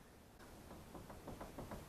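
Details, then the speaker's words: 2004 PT Cruiser jacked up with the front wheel rocked by hand; faint dull clunks with each rock reveal significant play from a badly worn front wheel bearing. It earlier made a rough, choppy, helicopter-like sound when driving, worse when braking into corners. "now this particular one is so worn that I don't know if you can hear and see that I'm probably jostling the camera too much but there's actually significant play in it"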